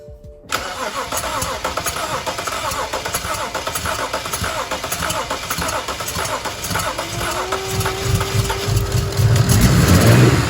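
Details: Non-running BMW 335i, first start attempt: it catches and runs, but lumpy and uneven with a rising rumble. Rough running after start.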